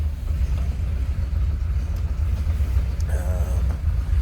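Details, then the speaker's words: 1939 Ford Deluxe 5-window coupe flathead V8, just started via ignition switch and push button; deep even low rumble with steady beat, no knocks or misses; normal smooth idle. "And it starts. Flathead seems like they always fire over pretty easily."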